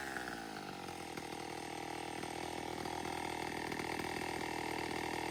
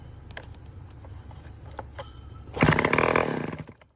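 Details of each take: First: Vintage Homelite 7-19 chainsaw after carburetor cleaning, still needing a new diaphragm, a fuel tank clean-out and fuel line fix: crisp two-stroke buzz holding steady for several seconds, then dropping away. Normal idle; an earlier high idle was tied to the throttle linkage. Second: Late-1950s/early-1960s Homelite 7-19 two-stroke chainsaw with 60–70 psi compression, oil sprayed in, on choke: quiet cranking, then about one second of ragged firing that dies. Fuel starvation: no gas reaching the carburetor, and the fuel shut-off valve position is uncertain.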